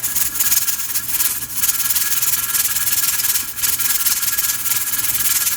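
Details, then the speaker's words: Pressure canner at pressure with 6 raw-pack jars of boneless chicken thighs, timer just started: continuous loud steam hiss with hard spitting surges from the regulator weight, venting too hard; the burner (heat) needs backing off slightly. "So that's a little too much, so I'm going to back this off just slightly."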